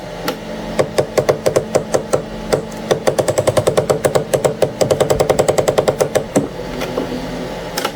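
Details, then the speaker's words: Anycubic ACE Pro filament unit, slot 1 with white filament, during retract after the Cobra 3 combo printer reaches temperature: bursts of rapid sharp clicks, three or four a second, grinding; cause unknown, while the red slot runs smooth. "It's sensing now, so it's gonna, yeah, that grinding. You guys see that? So this thing is grinding. I don't know what's going on."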